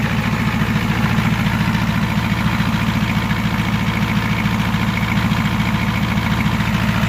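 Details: Ford 7.3L IDI diesel after valve cover gaskets and fuel return lines were replaced, first start with air cleaner off; fast, even clatter around 1500 rpm that doesn't settle, abnormal, and owner feared a runaway.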